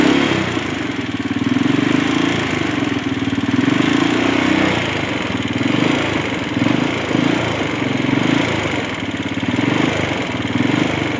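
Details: CG250 single-cylinder: fast light ticking keeps pace with an uneven idle; source unclear, owner suspects valves.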